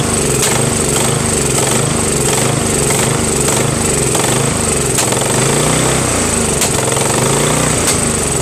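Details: Craftsman 13.5HP mid-engine riding mower with a replacement engine, new starter, battery and key. It runs rough, speed hunting, with sharp backfire cracks about every second, sounding worse than before. Surging and backfiring, cause unknown.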